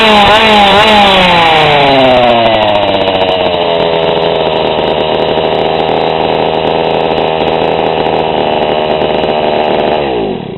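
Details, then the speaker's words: GoPed GSR40 two-stroke with 603 carb and TGN manifold, high and low needles both 1¼ turns out: revs drop, then settle into a clean, steady high buzz with no surging or stumbling. This is normal high-speed running with the mixture set right. "and that sounds pretty darn good"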